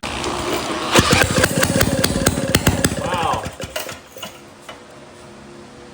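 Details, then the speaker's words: 1937 Maytag Model 92 single-cylinder two-stroke, after carb cleaner and priming: a few sharp pops then firing fades within seconds; it catches on the prime but owner thinks it isn't picking up fuel yet. "it popped right off on our uh on our prime. I don't think it was feeding fuel that yet, but we probably got to keep uh pulling on it."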